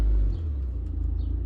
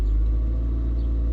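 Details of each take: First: Toyota Previa van with P0171 code, idle previously adjusted: holds a high 1400 rpm idle after revving, louder rumble easing down into steady normal idle once put into gear. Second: Toyota Previa (new muffler fitted) in park after a rev: a deep, steady rumble that stays at about 1400 rpm high idle and returns to normal idle in gear. A P0171 check engine light is present; cause unconfirmed, and idle adjustment may be needed.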